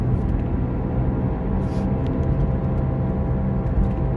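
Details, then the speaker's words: Toyota RAV4 road test at a steady 45 mph: low droning hum under road rumble; rear differential worn out and noisy first, also needs left rear wheel bearing, checked with chassis microphones on differential and both wheel bearings. "Okay, it looks like the differential's starting first with the noise. This is going to need a rear diff and a left rear wheel bearing."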